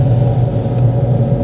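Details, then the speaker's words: Manual car held in first gear without upshifting: loud, steady low engine drone at high revs, the engine working harder and wasting fuel because the shift is too late; roughly 2,000 rpm is suggested for the next gear change. "যা ঘটে তা হল আপনি অতিরিক্ত ইঞ্জিনের শব্দ শুনতে পাচ্ছেন। এটি ইঞ্জিনকে আরও বেশি কাজ করছে এবং আরও বেশি জ্বালানি নষ্ট করছে।"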